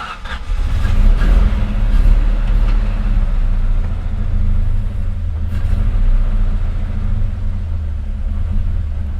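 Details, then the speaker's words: 1995 SN95 Ford Mustang V8 after new injectors, fuel rail and TPS: lumpy, uneven idle with irregular stumble; misfire, worse than before, cylinders 1 and 7 running cold; owner suspects spark rather than fuel. "No, that was worse. Well, I can tell you number 7 is pretty much cold, and number 1 is cold."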